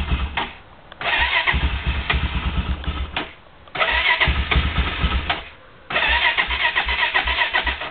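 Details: Honda quad cold start attempt: three long bursts of steady starter cranking with uneven firing puffs; almost catches but dies each time, cold crank no-start.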